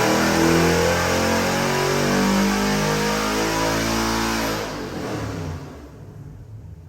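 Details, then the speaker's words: Customer's freshened LS7 V8 (new port-matched intake) on the dyno, final pull aimed at 6,500 rpm; strong clean roar climbs smoothly then backs off, no knocks or misses, a normal full-throttle pull. "Alright, Luke, we got your LS7 engine on the dyno that we redone for you. Put the new intake and port matched it. We're going to do a final pull of 6,500."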